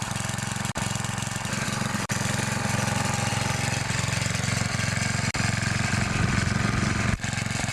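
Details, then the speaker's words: 9HP Tecumseh Snowking single-cylinder engine, first cold-start test run after connecting rod replacement, outdoors: steady even fast thump, no knocking or rattle; runs smoothly and healthy. "this will actually be the first test run with it with the new connecting rod in it well there she goes"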